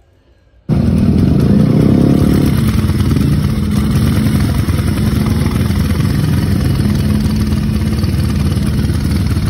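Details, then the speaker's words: Motorcycle just started after work: an uneven single-cylinder idle that stumbles intermittently. It also stutters when overtaking, and switching the headlight sometimes cures it. The owner is replacing the battery. "Tapi anehnya kenapa itu penyakitnya kadang-kadang yang gue nggak ngerti nih. Suaranya kayak gini nih gue cantumin videonya."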